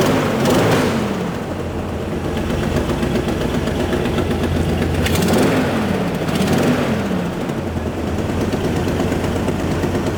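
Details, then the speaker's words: 1985 Chevy K10 Silverado V8 after a new complete distributor assembly fixed no-start: idles running well but with a sharp rapid ticking puff from an exhaust leak at recently installed headers probably needing new gaskets and bolts. "Yes, it does run again, but as you guys can hear, especially you gearheads, there's an exhaust leak. It runs good, it runs really good, but there's some exhaust issues."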